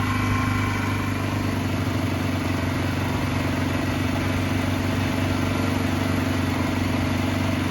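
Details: Barn-find 2005 Suzuki GZ250 single with 950 miles, just started on starting fluid and warming up: a fast, slightly uneven thump over a steady drone. Rough running; owner suspects carburetor trouble, needing more choke, and old gas.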